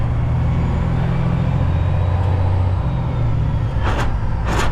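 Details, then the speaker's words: Heavy-duty truck (HDT) hauling an RV: deep drone drops as the clutch goes in, then two short harsh grinding rasps as the driver misses the gear and can't find it; gear grinding on a missed shift. "oh stop that noise wrong gear wrong gear can't find them grind them find them"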